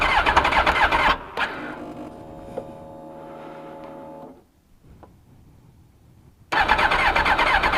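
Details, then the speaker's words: 2002 Suzuki GSX-R1000 four-cylinder, cold first start after yearly maintenance (tank rinsed, pump cleaned, new K&N air filter, new NGK plugs), primed four times; catches after a few cranks, spits out some nastiness, runs quick and even; normal cold start. "uh she's alive she is live boys and girls pooped out some nastiness cold as can be but she's running ha ha"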